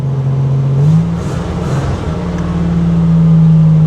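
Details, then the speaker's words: Badly running car, needs to warm up: the engine note climbs unevenly, wavering and sagging as throttle is given, cutting out and breaking up. Cause unknown; owner is awaiting a ScanMaster 2.1 scanner to diagnose. "You can give it some gas and help it along. But you can hear how it cuts out, breaks"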